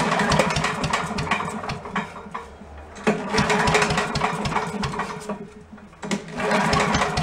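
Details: Yard-sale commercial walk-behind leaf blower with carburetor problems, running on choke during idle and mixture adjustment: it runs ragged, surging and hunting; a bent carburetor float was found.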